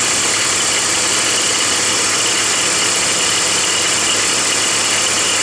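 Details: BMW 325i E46 petrol engine idling with a steady, fast, tinny rattle from the belt drive, caused by a worn-out idler (deflection) pulley.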